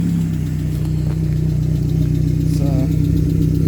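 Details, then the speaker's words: 1995 Suzuki Sierra/Samurai with G13B GTi engine conversion at idle: light, fairly regular valvetrain tick about three per second; owner suspects lifters and hopes an oil additive quiets it. "it's a little noisy. Yeah, so hopefully that sound of the lifters stops."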